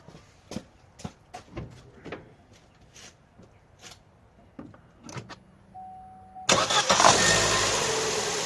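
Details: Opel/Vauxhall Astra J 1.4 after replacing spark plug and ignition coil for a cylinder 1 misfire: ticking and clicking, short crank, then catches and settles straight into a steady, even idle; starts and runs fine.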